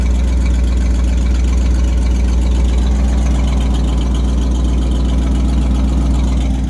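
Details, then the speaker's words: 1990 Ford F-150 V8 idling, loud deep idle with a rough puffing pulse at each firing from an exhaust leak at the manifold, probably also the donut flange; stalls when revved, especially cold. "but you can hear that exhaust leak coming from the manifold it's also it's probably a mix of the manifold and the donut flange"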